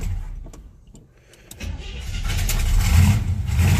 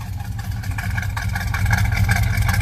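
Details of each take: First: Monte Carlo cold start before fuel filter change: catches, then lumpy surging low rumble that won't settle; owner suspects fuel filter clogged by debris stirred up when tank was dropped, or failing fuel pump. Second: Monte Carlo V8 cold start after a stiffer carburetor throttle spring; steady, even idle with smooth low rumble building slightly, no stumble or miss, now running much better.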